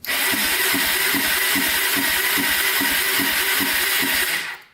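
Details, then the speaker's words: 1995 Honda 300EX quad, non-running, spun by the starter with the throttle open, fast and even at about three turns a second with no compression drag. Only about 10 psi compression; cause not yet found. "yeah we've got like zero compression what is that like 10 pounds of compression so um obviously something's wrong"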